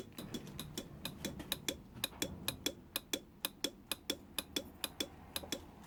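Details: Honda NSR motorcycle won't start on the electric button but bump-starts first time; rectifier already replaced without fixing it: sharp regular clicks, under one a second, with no cranking or engine firing.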